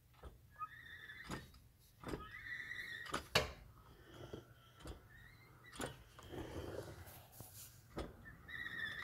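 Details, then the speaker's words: Odd squeal/grind between 4L60E transmission and transfer case in an LS-swapped Jeep: slowly hand-turned driveshaft gives short high squeaks between dull thunks, only when turned forward, not backward; heard at low speed in forward gear (first?); cause unclear. "gotta squeal what sounds like between the transmission and the transfer case so here's turning the drive"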